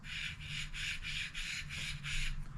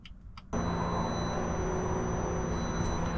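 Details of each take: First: Old mechanical water pump removed from a BMW F30 340i B58 engine with a coolant leak below the pump, spun by hand: gritty rasp pulsing about three times a second instead of buttery smooth, rough bearing. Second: BMW F30 340i B58 after water pump replacement, electric coolant pump running during bleed procedure with ignition on before start: steady electric hum with a faint high whine, starting abruptly and holding even.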